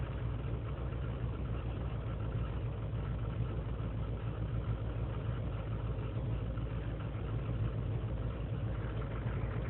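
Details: 2003 GMC Sierra Z71 5.3 V8 cold start after overnight in single-digit temperatures, idling unassisted; uneven, stumbling idle that clears once warm; lean and misfire codes, owner suspects failing intake manifold gasket.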